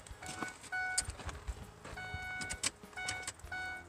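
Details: 2006 Ford Econoline E-350 that quit running, after fuel filter replacement: the key is cycled to bleed the fuel system, and short repeated buzzes of a steady high hum each cut off cleanly. The fuel pump is priming normally.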